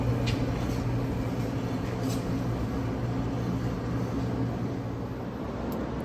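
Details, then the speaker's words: 2013 Ford Taurus on a lift, left front hub already replaced: rear wheel spun by hand gives a steady low growl, a dull droning rumble with no clicks; right rear wheel bearing growl, slight brake drag also present. "now let's spin up the left rear and see what it sounds like as far as comparatively that growl is what we were searching for"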